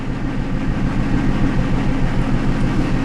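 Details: 2000 Trans Am V8 with a bank one fuel injector bypassed for lean testing during P0171 diagnosis: lumpy idle with a steady uneven chuff about three times a second, a dead cylinder misfiring.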